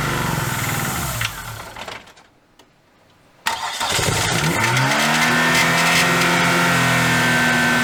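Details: Dodge Neon ACR restarted after almost two years off: after a short crank it catches and runs lumpy and uneven as revs settle. Cylinder number two was not firing; the MAP and knock sensors were later found unplugged.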